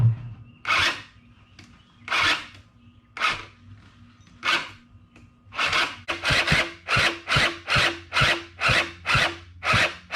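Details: Small engine machine pieced together from parts, sat since at least last fall, on ethanol-free gas, battery at 12.7 volts: slow rasping crank strokes about two a second that never fire; weak labored cranking, later traced to chewed Bendix teeth not meshing.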